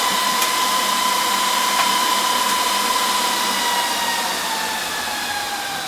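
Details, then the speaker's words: HP DL380 G7 server with two of its six fans removed for a worst-case demo: loud, steady high whine with airy rush easing slightly at the end; the remaining fans run at maximum speed. "as you can hear it gets very loud when it wants to"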